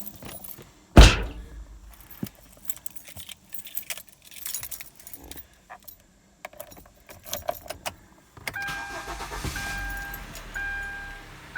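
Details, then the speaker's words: 2012 Kia Forte with a random no-start, after cleaning the battery terminal blades (12.88 V), fully cold engine: brief crank, catches straight away and idles steadily. "starts right up no hesitation so did we fix the problem i don't know time will tell"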